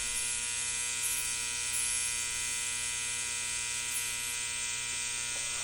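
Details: 1960 Zenith X519 clock radio during repair, alarm switch confirmed closed: steady, raspy electric alarm buzz holding one pitch the whole time; alarm buzzer working as it should.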